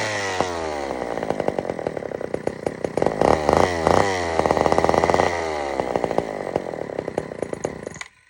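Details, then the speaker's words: Old Sears Explorer II chainsaw after carburetor cleaning, good compression: uneven two-stroke buzz surging and stumbling with irregular firing before cutting out; carburetor mixture badly out of adjustment, screw being turned all the way in. "is not normal at all I got to definitely adjust this really really really good I'm just going to screw it all the way in we'll see what happens"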